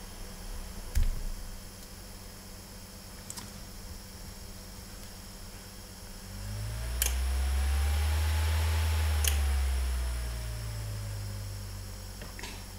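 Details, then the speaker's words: Delta fan on a classic cooler for a dual Pentium III build (ASUS CUV4X-DLS board), lightly used, run on 5 volts: quiet hum then a thin whine that rises and falls with fan speed; owner suspects premature bearing failure. "so there's a wine come from this one so I think this is a case of premature bearing failure on this one"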